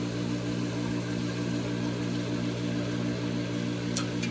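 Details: Hayward pool heat pump whose fan and compressor stopped working, on a cool day around 60°F: steady low electrical hum with no clear spin-up. The fan motor is energised but hesitating to start.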